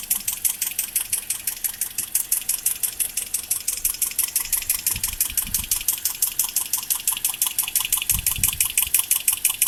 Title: Ticking noise that was coming from my 2010 Toyota Corolla LE Automatic engine